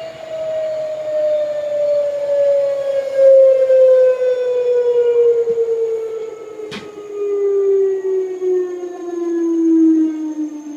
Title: LG washer , new weird noise on spin